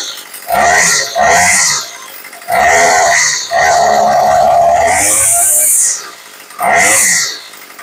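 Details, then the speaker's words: Craftsman 2-stroke weed eater after carb rebuild and leaning the L screw slightly: quick clean rev blips rising sharply, returning to settled idle without bogging; properly tuned, normal. "and that's it now this one came up pretty close right off the bat"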